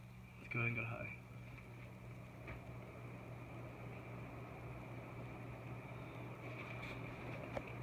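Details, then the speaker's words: Hunter ceiling fan running on high: steady low hum with a faint even whir, no ticks, wobble or rubbing; strong runner, only needs slight balancing; normal running. "as you can hear it's a very good amount of air needs to be balanced a little bit very strong Runner very good fan"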